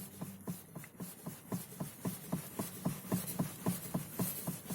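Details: Lada Kalina steering rack (3.1 turns), knocking returned after 15,000 km despite caprolon bushing, fresh grease, new support spring and bushed, greased steering column joint: steady dull knocking three to four times a second around center; cause not found.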